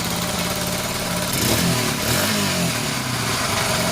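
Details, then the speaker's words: Restored Honda XL100S on a cold day with a brand-new genuine exhaust fitted, idling evenly then taking a short blip of revs and settling back cleanly; sounds very different from the old exhaust, normal healthy running. "Yeah, it's on. Sounds loads different to what it did."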